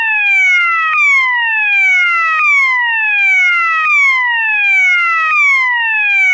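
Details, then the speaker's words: System Sensor MASS121575ADA alarm horn, swept frequency tone selected with clip A: tone glides downward from high, repeating about every one and a half seconds, a reverse slow whoop working normally. "okay the next tone is sweat frequency and this tone is basically the same as slow loop except it's in Reverse"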